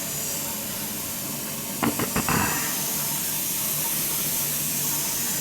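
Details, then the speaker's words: Newly replaced gas boiler with three circulator zones (old flow checks removed, high vent added) filling before purging: a steady hiss of water in the pipes with a few brief clanks and no dripping; no leaks. "Well, I don't have any leaks. Let it fill and make sure I got no leaks for us before I start getting too crazy here."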